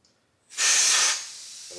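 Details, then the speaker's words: VW Beetle that stuttered and only reached 40 mph, fuel hose blown through with 10 bar compressed air: loud air hiss sagging to a thin weak rush as flow chokes off; blockage in the fuel line. "oh it's blocked up oh yeah so we've got no no flow at all now oh we did to start with yeah you can hear it yeah yeah there something blocked in that line isn't there"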